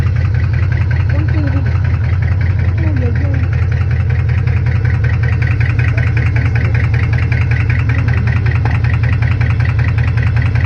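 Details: Chevrolet Camaro SS at idle: a loud, steady idle with a regular light tick about two or three times per second. It could be a lifter or rod knock; the cause is unconfirmed.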